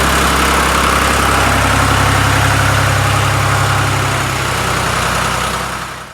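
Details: Restored 1993 Lombardini generator, started with a lamp connected as load: loud, steady diesel chug with even firing and no misses or knocks. The engine runs smoothly and is healthy.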